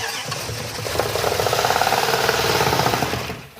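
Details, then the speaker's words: 1971 Plymouth Satellite 383 big-block, likely not run since the '80s, first start on a farm: quick, fairly even firing with a slight pop through the intake valves; the V8 runs well overall. "that runs yeah that's genuine running that is one good 383"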